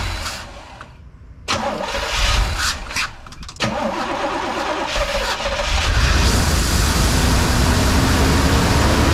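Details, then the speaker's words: 1983 Trans Am Crossfire throttle-body engine, idle air control passages blocked off and unplugged for adjustment: cranks, fires and settles into a low, slightly uneven idle, as the computer can't control idle speed. "now when you fire it up it's going to run a little crappy um because it's not the computer doesn't have anything to control the idle speed so it's going to start down really low"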